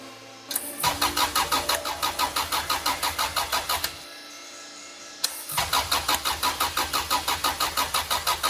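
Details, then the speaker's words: Honda B18 engine bought as eBay "race" spares-or-repairs, claimed high compression, two cranking bursts: fast even beat near three per second, equal pulses; compression test results point to high compression. "We were looking for high compression, and with those compression test results, I think we've got it."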